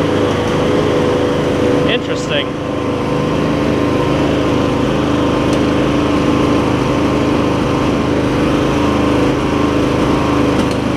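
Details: MTD Lawn Chief garden tractor with V-twin engine, new drive belts and voltage regulator, carb clean still needed: small twin runs fast with a steady drone but speed wavers up and down, hunting idle pointing to fuel delivery; engine surging.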